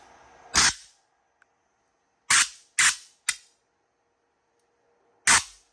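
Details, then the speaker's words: Laser power supply high-voltage test with the output cable about 2.5 inches away, test button pressed: five sharp, loud arc cracks. Strong arcing, so the supply is healthy, though PWM circuitry is unverified. "When you see arcing like this strong, you know there's nothing wrong with the power supply."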